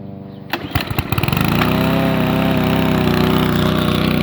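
A few sputtering pulls, then it catches and settles into a steady, even run, about four beats a second; starts and runs fine.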